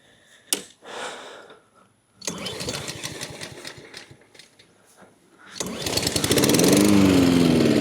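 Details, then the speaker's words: Honda HRN216 mower after new carb, air filter and spark plug and cleaning out old fuel with sediment: catches, sputters unevenly and dies, then refires; the fuel needed a few pulls to get through the system. "Does not want to stay running. God damn it. Come on, man."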